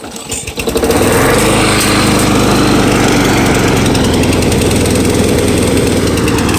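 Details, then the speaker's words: Free curbside mower's engine fires within a second and settles into an even, steady putter at low unloaded idle, running cleanly; owner thinks it drops to lower idle with no load. "I know when there's no load I think it just puts it at a lower idle"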